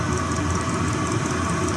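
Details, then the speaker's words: 2 kW Chinese diesel heater on diesel, run at full power for 5–6 minutes to clean the burn chamber: constant even roar, no surging or sputter, like warp drive; normal full-power run. "That's what it sounds like, doesn't it? Like the warp drive's just stepping in."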